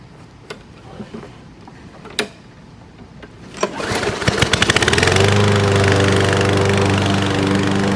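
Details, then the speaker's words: Fairly new Craftsman 7.0 mower brought in as a no-start with air filter missing, after air cleaner refitted and oil checked good: a few pulls, then single-cylinder catches and runs steady, no surging or misfire, burning off a little oil; now healthy. "burning off a little bit of oil. Yeah, she runs pretty good now, though."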